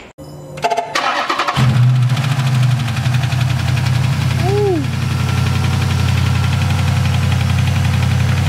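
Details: Dodge Charger SRT8 392 V8 cold start after radiator and fan replacement: quick crank, catches, flares and settles into a high, steady cold idle with a deep, even rumble; normal.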